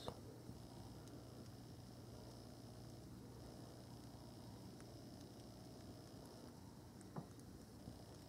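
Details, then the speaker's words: Panasonic SDX1 camcorder, zoomed in, in a quiet scene: faint, irregular autofocus ticking and clicking over a low room hum. The noise persists with OIS removed or locked, and it is confirmed to come from the autofocus. "it's bother me is that when I zoom in there's an audible ticking noise that appears in quiet scenes"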